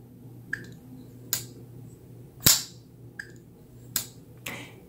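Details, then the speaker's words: Kizer Cozy folding knife, about 3.3-inch blade, jumping-off flipper tab; sharp single snaps with crisp lock-up click, no rattle, blade centered with no play; normal near-guillotine flipper action. "yeah absolute Guillotine perfectly centered no blade play Kaiser has got their actions nailed"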